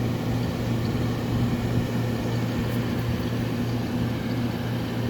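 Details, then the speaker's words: Probably mid-to-late 1970s Admiral Super Deluxe window air conditioner on test run before install: steady low hum with even fan rush, no rattles or knocks; blowing cold, coil frigid, rear only slightly warm; works normally. "Wowee, is it blowing cold. And this coil is frigid to the touch, yo. Alright, well it definitely works, so test run successful."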